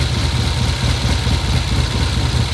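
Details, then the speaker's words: 1972 Triumph TR6 650 twin, 5-speed, oil-in-frame, single carb, idling: low, lumpy idle with wavering, uneven beat; left cylinder runs hotter, left side sounds odd when revved; cause not yet found. "It's idling there, and it revs okay, sorta, but something's wrong. It's just not right."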